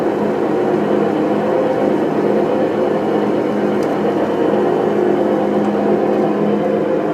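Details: New Whirlpool Cabrio washer on spin cycle: loud, steady whirring roar with a deep rumble, much louder than normal; cause not identified; later fixed under warranty.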